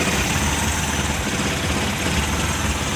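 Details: Suzuki Multicab F6A engine, checked for a hard-starting fuel-system problem blamed on fuel contamination in the tank: a steady, low rumbling idle with an even beat and no misses or stumbles. A normal idle.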